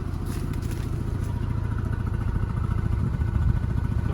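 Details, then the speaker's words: Mazda RX-7 FC turbo rotary (CAK82), warm, after manifold gaskets, oil metering lines and intake manifold replaced: idle drops to about 800 rpm, lumpy and uneven with occasional backfire pops; still smoking, idle screw adjustment made no difference. "You can see as it's dropped down to about 800 now it's it's quite bumpy."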